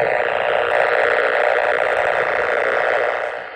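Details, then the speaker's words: Truck fender-mounted 27 MHz whip trimmed for 10 m, hunting near two power poles: harsh steady buzzing hiss pulsing about four per second, strong signal; power line interference noise. "So, I think we're going to go examine these two poles here and see what we find. But in order to do that, yeah, we're getting a pretty strong signal here."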